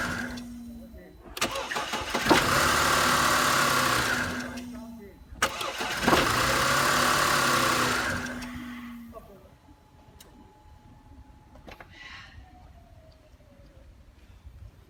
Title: Audi A6 C6 3.2 Quattro AUK starter : timing chain rattle